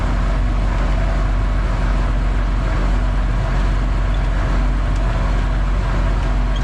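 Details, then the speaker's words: 8120 tractor diesel running after hydraulic fault (full pressure but none at selective control valves, previously whining when driven) fixed with nothing spent; deep steady rumble, no strain or whine, hoses jumping as hydraulic pressure returns to the valves. "and now let's see if we actually have pressure because i'm hearing noises oh yeah see those hoses jumping down"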